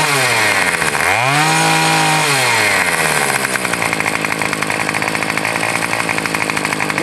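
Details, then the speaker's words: Troy-Bilt TB 225 tiller with replacement two-stroke engine, started with primer and choke: blips up and drops back, then holds a high, steady buzz with no misses or rattles; runs fine. "you go guys it runs fine that engine was eight dollars"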